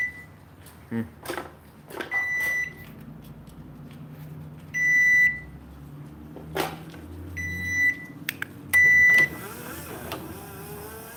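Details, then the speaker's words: Garage door opener. Short bursts of sharp high beeps sound every couple of seconds; the owner says it has never done this before and it stopped afterward, so the cause of this unexpected alarm beeping is unknown. "That was odd. It's never done that before. And it's not beeping now."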